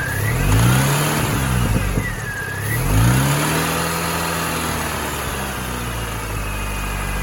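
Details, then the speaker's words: R53 Mini Cooper S (supercharged) revving with a faint high squeak rising and falling with engine speed. A serpentine-belt-driven pulley is suspected, alternator or supercharger unknown. The timing chain tensioner has been ruled out. "it sounds like there's an issue with one of the pulleys that is being controlled by the serpentine belt now i don't know which one that is"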